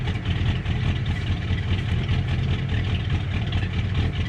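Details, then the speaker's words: 1977 Ford Camper Special, first start after sitting several years, warming up: deep, even exhaust rumble at steady idle with no misses or knocks, strong exhaust smell; normal idle. "there's the exhaust idle and it's burning my nose real bad but sounds real good listen"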